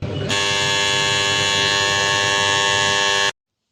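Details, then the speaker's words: Washing machine end-of-cycle buzzer after repair, sounding when the timer finishes: one steady high-pitched buzz of about three seconds, then cuts off cleanly; previously not sounding at the end, now working normally. "तो guys buzzer का पूरा sound full आ रहा and होते ही, तो अपन machine okay हो गया।"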